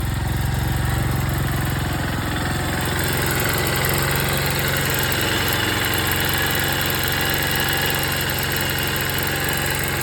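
A small single-cylinder engine idles with a fast, fairly even light ticking rattle over the exhaust thump.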